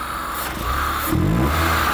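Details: All New Corolla (AE) with a newly installed IACV: picks up cleanly from idle into a smooth rev with no stumble; sounds healthy.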